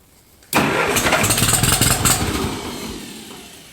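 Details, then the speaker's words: 1953 Ferguson T30 tractor after fixing a no-start caused by a loose battery cable connection (was only clicking): brief crank then catches straight away into a steady run, no misfire; normal start after repair. "so all was a battery connection um yeah simple stuff try to always check the simple stuff first"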